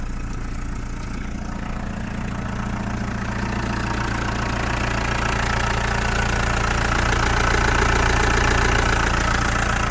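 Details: Chrysler Voyager 2.8 CRD diesel on a cold start after sitting a couple of months: a steady, regular knock over the low idle rumble; cause unknown.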